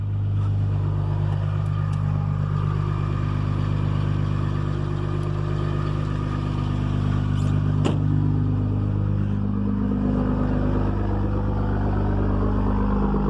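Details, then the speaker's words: Cummins 5.9 diesel cold start at 27 degrees after sitting for days, in neutral after waiting on the grid heater: holds a steady raised cold high idle, deep even rumble with light regular clatter, no misses or knocks; sounds healthy. "okay so 27 degrees we're in neutral wait for the grid heater you know she's cold when she kicks you right into high idle"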